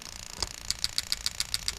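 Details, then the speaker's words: 1UZ-FE plug-and-play harness for a 89-91 Toyota Celsior, IS200 with J160, bench test mode, injector 1: crisp, sharp ticks about every 0.14 seconds, steady and even on a quiet bench; injector clicking normally. "Then we're going to go one by one on each injector. And we're going to go through, and each one we're going to listen for the clicks to make sure it's working as it should be."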